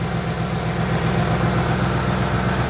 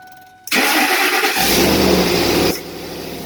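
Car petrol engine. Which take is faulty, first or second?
second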